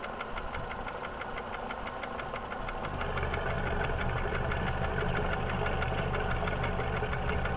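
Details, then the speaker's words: First-generation Hyundai Accent converted to a carburetor, idling: a loud, steady tapping knock about three per second, present cold and hot. It began 1,500 km after an overhaul (new pistons, new hydraulic lifters, Liqui Moly oil; piston group rechecked fine). A valve is suspected; unresolved for 10 months. "Сейчас послушаем, что-то стучит. Видимо, клапана."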